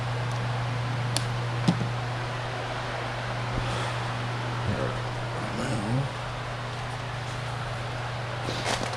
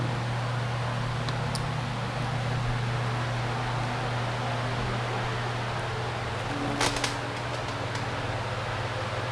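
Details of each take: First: Polaris 9550 pool cleaner with a replacement drive motor fitted: a steady low buzz with no change in pitch. Drive motor buzzing but not turning; the actual fault was the controller, not the motor. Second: Polaris 9550 pool cleaner run out of the water: even, steady low hum with constant pitch, no knocks or grinding; the motor works. The fault was the controller, not the motor.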